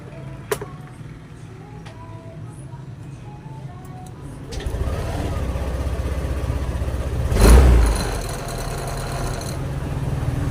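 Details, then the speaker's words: Yamaha Aerox scooter after throttle body and injector cleaning and ISC reset: starts, a quick rev blip, then drops straight back to a settled idle. Previously the revs were slow to rise and fall with a high idle; response now good. "Ayan maganda na rin ang response ng motor mga idol kasi nung Pinuntahan ko to nung nakaraan ah pag binirit mo Ang tagal niya tapos ang tagal din bumaba ng Menor niya"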